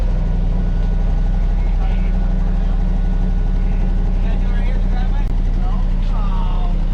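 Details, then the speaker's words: Car idling on day 3 of a Cannonball Run trip in Arizona, just after its electrical fault was fixed: steady, even idle with a smooth low rumble and no misses, knocks or hunting; healthy running. "we got us a runner there we go this is Now Now mind you mind your YouTubers this is pre turbo whistle Yuri right there"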